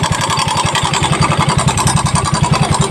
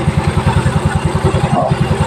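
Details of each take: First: Yamaha Mio Soul i at idle, cam chain tensioner deliberately turned back to bring the noise out: fast steady idle with a bright metallic rattle on every beat that eases off partway, slack cam chain from a broken tensioner. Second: Yamaha Mio Soul i scooter with a noisy engine traced to the cam chain tensioner, idling just after the tensioner was turned: even putt-putt at about nine beats a second, no ticking or rattle, engine now quiet.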